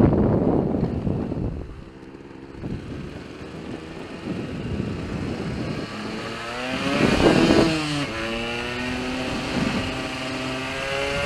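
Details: Yamaha RD125LC YPVS two-stroke revs unevenly, blipping up then stumbling and crackling as it falls back; splutter and misfire, cause not yet found.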